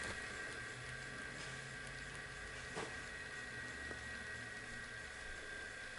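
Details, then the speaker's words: Daewoo VHS VCR after replacing a capacitor: quiet steady whir with no speed wobble or scraping, transport running at the right speed. Normal playback running. "so the capacitor has done the trick because the capacitor is now running that capacitor was replaced is now running at the right speed"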